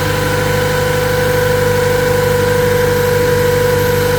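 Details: 2007 Toyota Tacoma at start, oil level checked: idling with a steady, fairly high hum or whine over a slightly pulsing run; a local mechanic couldn't identify it, cause unknown.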